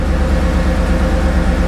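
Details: 2014 GMC Yukon cabin with engine on, after replacing rear HVAC/radio control module: steady low engine hum with no high-pitched dog-whistle feedback whine; electronics quiet, fix confirmed.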